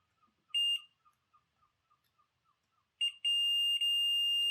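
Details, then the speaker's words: Jouef HO scale Class 21/29 model locomotive, checking pickups: multimeter gives steady continuity beep across plunger end to end, but no continuity from the wheel axle; dirty bogie contacts suspected. "So that's from one end of the plunger to the other. But I'm getting nothing from the wheel axle."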